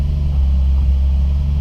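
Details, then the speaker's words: Nissan 350Z after CD009 gearbox swap, lightweight flywheel and clutch upgrade, first start: deep even rumble, no rattles, clunks or grinding; clutch disengaging properly, engine and driveline healthy. "so far so good nothing sounds weird I can feel and hear the clutch disengaging when I'm pressing"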